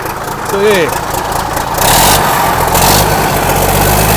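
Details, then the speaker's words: 1963 Mack F600 diesel truck, just fired up after sitting, fuel primed: deep steady even rumble with no knocks or misses, turbo whistle audible, oil pressure slowly building; idling smoothly. "beautiful absolutely magnificent hear that turbo whistle"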